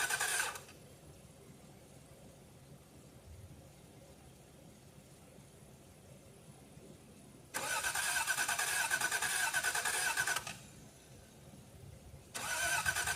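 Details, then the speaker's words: 1989 Toyota Cressida that sat for years, on a freshly charged battery: starter whirs in bursts at a steady cranking rhythm but never catches; gauge near empty, owner suspects no fuel. Crank, no start. "Okay, guys, I don't think it's got any fuel in it."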